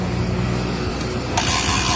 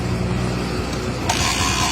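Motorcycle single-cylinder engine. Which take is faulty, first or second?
second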